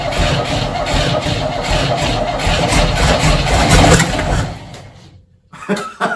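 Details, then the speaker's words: 1968 Chevy C10, believed 307 V8, engine was locked and sat 36 years in a field, start attempt on fuel poured into the carb: rough sputtering, loud pop, flame out the top, then dies; backfire through carburetor, rockers suspected. "flame wow it can't be too far off on the ignition and stuff there's a giant blaster fire that came out at the top"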